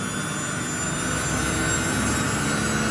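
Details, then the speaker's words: Samsung washing machine after repair of error 3C: the spin steps through 400, 800 and 1200 rpm, holding a steady high whir with no knocking or scraping; the machine now runs OK. "Như vậy là sau khi xử lý xong thì máy đã vận hành Thành ok rồi"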